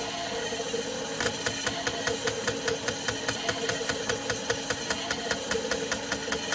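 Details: Mazda MX5 NC with an LS1 V8 swap, fuel injectors on an ECU automatic test at 4 bar fuel pressure during misfire diagnosis, plugs out; crisp, even clicks about five per second over a steady pump hum; injectors working properly.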